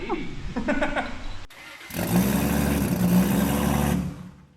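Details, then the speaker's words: Toyota 2JZ-GTE engine, first start after a build, once a backwards-fitted mechanical fuel pump was found: short crank, pause, then it fires and holds an even idle for about five seconds. It sounds good. "but all is going good and it ran for 5 seconds and it sounds good so I'm stoked"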